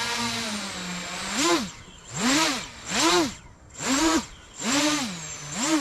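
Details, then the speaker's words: 8-inch FPV drone with P gains raised to 65, field test: five quick throttle punches, motor pitch sweeps up and down cleanly about once a second, no wobble, warble or prop wash; well-tuned, fast response. "no prop wash at all things uh very good as we can see we can move it very fast"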